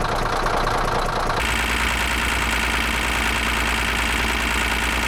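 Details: Caterpillar D9H dozer diesel at idle: heavy low rumble with a hard, irregular knocking rattle riding over it. The knock is bad and its cause is unknown.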